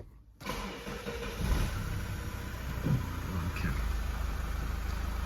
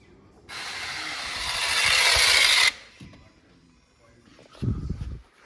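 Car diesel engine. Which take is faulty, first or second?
second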